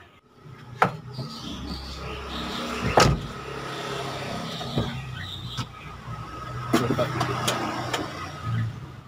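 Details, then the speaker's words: Toyota Avanza rear double AC blower, before repair: rough snoring roar with thin whine and scattered clicks, worse at higher fan speed; blower fan fixed without dismantling the unit. "the sound is very annoying the more volume the speed volume is only bread toothpaste speed up the more Crush is very uncomfortable and very annoying"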